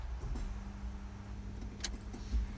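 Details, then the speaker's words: SEAdrive-equipped Hino 195 electric moving truck, key-on with foot on brake, heard from the cab: a low, steady hum comes up and holds evenly as pumps and fans fire up before the screen boots; normal startup. "hear the pumps fire up, some fans fire up, do a couple little things, and then the screen will start to boot."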